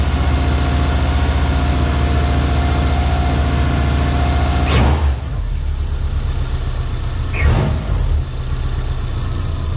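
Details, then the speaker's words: Subaru Impreza boxer engine rebuilt with SOHC heads, first start after over 2 years: low steady rumble, even beat, no misses, knocks or ticks; scan tool reads RPM properly and very low load, check engine light on. Normal idle. "It shows really nice, a very low load right now. It's working pretty good. So I'm going to let it sit and idle for a little while"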